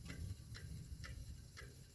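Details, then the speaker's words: Mountain bike after a crash, front disc brake: a light tick about twice a second as the wheel spins over a constant hissing rub; the rotor is rubbing a brake pad from a misaligned caliper, a quick fix. "So that's your caliper, and that's a quick fix. What do you mean? What that means is that your rotor is rubbing on one of the brake pads."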